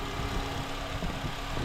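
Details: Honda Accord 2.4L K24 (2003–2007) just after serpentine belt replacement: smooth steady idle with an even low rumble, no belt squeal or chirp from the front of the engine; healthy.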